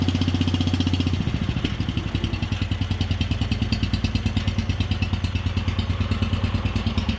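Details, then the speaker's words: Wheel Horse 857 garden tractor single-cylinder, cold start on choke after two years unused, balance gears removed: slow, uneven, lumpy thump about three beats a second; idle low and rough, owner thinks it may need carburetor work. "o she's idling kind of low let's [Music] see There She Goes"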